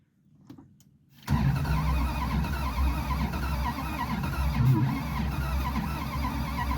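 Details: Abandoned Plymouth Satellite wagon, untouched since the 1990s, with new spark plugs and the points ignition sparking, extra fuel added: starter spins the engine in a steady uneven chug that never fires. The engine later seized.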